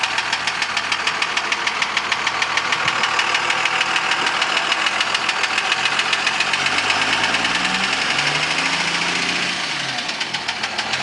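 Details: 2002 Dodge Ram running: sharp metallic ticking knock about three per second over the engine; engine knock, cause unknown.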